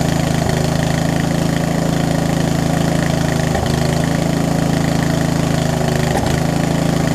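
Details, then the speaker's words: Murray widebody riding mower that sat for years, started on choke: steady single-cylinder chug at fast idle with an uneven beat and occasional stumbles. Owner suspects too little fuel through the line, a worn carb and a possibly leaking needle and seat. "I think the fuel line is it's a mix between it's too little and the carb is probably a little too messed up at this point, so to speak, to run properly."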